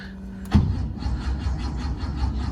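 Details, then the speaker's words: 1970 Porsche 911 air-cooled flat-six, undriven about six months, battery just charged, a little throttle given: starter turns the engine over in a steady low chugging rhythm for a couple of seconds but it never catches; cranks, no start. "Oof, not sounding too good."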